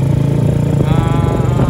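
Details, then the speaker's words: Supra X motorcycle with Daytona 190 engine on its first test ride, carburetor not yet tuned right: loud, raspy, fast-pulsing exhaust with a deep uneven blat; aftermarket exhaust far too noisy, owner plans to change it. "Dan mungkin gua suaranya agak ketutupan sama mesin ini karena mesin ini knalpotnya terlalu berisik. Nanti gua ganti jadi agak berisik. Jadi suaranya terlalu berisik sekali ini."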